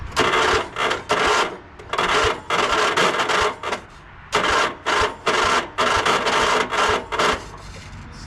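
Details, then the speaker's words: Sabre by John Deere lawn tractor on a freezing cold morning, days after a carb clean: harsh half-second grinding bursts with uneven pauses while cranking. The starter motor seems to have died. "doesn't sound very good. >> [groaning] >> Did the starter finally go? Sound like it."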